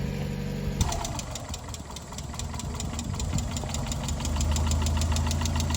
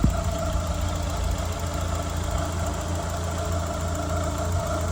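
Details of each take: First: 1993 Mazda Miata, over 200,000 miles, first start after sitting nearly a year as a no-crank no-start (starter hit with a hammer, fresh gas): engine catches and runs a fast, uneven ticking clatter over a lumpy idle; rough running, cause unknown, oil level to be checked. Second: 1993 Mazda Miata, over 200,000 miles, sat about a year as a no-crank no-start; steady even low hum with no knocks or misses; normal idle.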